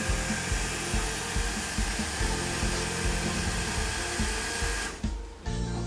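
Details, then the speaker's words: Stuart Turner Monsoon booster water pump after PCB board and starting capacitor replacement: steady hum and soft rhythmic thumps, normally cutting out about three seconds after the tap closes. "Okay, it normally takes about 3 seconds for it to go off."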